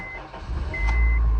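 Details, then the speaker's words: 2008 Honda Civic after replacing a bad starter (had clicked and spun without cranking): two short beeps, then a quick catch into a steady low engine rumble with no grinding or repeated cranking; starts normally. "Now after you got everything in, reconnect your negative battery terminal. There we go. So now I'm gonna start the car. It should start."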